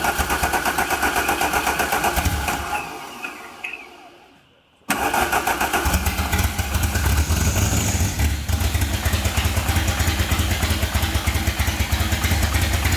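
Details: Rallygolf (VW) on first start after a 3-month rebuild with a new programmable ignition: cranks and catches, dies, then restarts into a lumpy, stumbling idle like one cylinder missing; one channel shows 0 volts, with crossed wires and timing found off.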